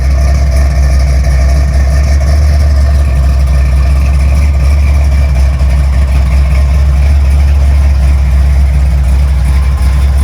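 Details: 55 Chevy on a test drive after front wheel bearings were serviced and greased to cure a screeching noise: steady low engine drone, with no growl, hum or grinding from the front end; the bearings sound quiet.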